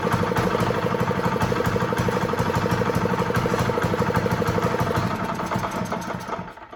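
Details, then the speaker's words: Honda GX120 small single-cylinder engine on a roofing shingle loader, running after reassembly with the kill switch disconnected: a steady, even putter near three beats a second, then it winds down. Normal running. "Yes, so it runs, but I forgot to connect the kill switch, so that's why it's not working."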